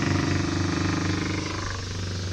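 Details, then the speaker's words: Salvaged Minn Kota trolling motor needing a switch, running with the switch held on; uneven buzzing hum with fluttering pulse and wandering pitch, then gradually speeding up; owner ultimately judges the motor good. "but that doesn't really look like it's putting out very good does doesn't sound that good it doesn't sound good either can you hear it up here"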